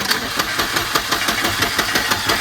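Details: Long-stored red Volvo 240 turbo, cranked via remote starter button: steady fast starter chugging, about five beats a second, no catch yet; long crank on a reluctant engine before it starts.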